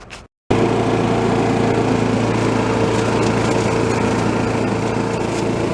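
The small engine catches quickly and settles into a steady, even buzz with no misses or surging, running as it should.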